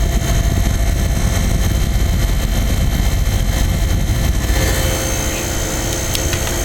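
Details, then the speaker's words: Vintage Montgomery Ward 25-pint dehumidifier made by Norge, circa 1969-70. The fan rush and compressor hum ease slightly when switched to low fan, which is quieter. Normal, healthy running. "but it's after 20 minutes at the most of running it will just it'll be completely defrosted here's low a little quieter"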